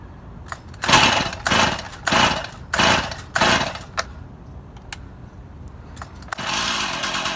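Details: Stihl MS171 chainsaw, a cover left off for priming, run outside: revving surges about every half second then uneven settling, only runs on choke; fuel restriction, engine starving for fuel from a blocked carburetor fuel screen.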